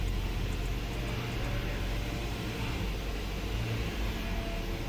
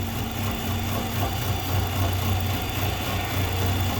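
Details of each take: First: 2014 Nissan Altima, believed 2.5 L, with P0014/P0300, after the stuck exhaust cam was commanded via scan tool above 2,000 rpm and finally moved: steady, even low rumble with no misses, purring smoothly. Steam is visible and a coolant leak is possible. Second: 2014 Nissan Altima, believed 2.5 L, with P0014 and P0300 codes, rough idle and occasional start-and-stall: low, uneven, lumpy idle that never settles. Scan data shows the exhaust camshaft stuck out of time.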